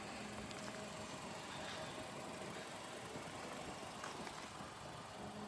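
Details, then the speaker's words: Copart car engine idling after needless water pump and alternator replacement: very quiet, smooth idle with no knocks or stumbles; purrs like a kitten, running healthy. "Purs like a kitten. Can't even hear the engine now."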